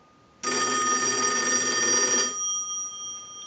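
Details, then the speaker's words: Single-slot payphone at final checkout after repair and conversion; repeated ring cycles are sent from a line analyzer before the bell is switched off. Bright continuous ring for about two seconds that cuts off cleanly. Ringer works properly. "Now what we want to do is we can use the analyzer and we can send a ring cycle, so we'll start that. We'll let that go a few times. I'll let it go one more time and we'll turn off the bell."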